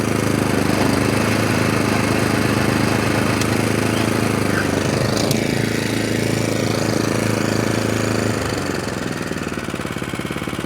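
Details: Atco Balmoral 20-inch SK mower with Kawasaki single-cylinder engine, bought not running and in poor condition: even, steady putter at a few beats a second, winding down cleanly when shut off by pushing the stop button. Healthy normal running.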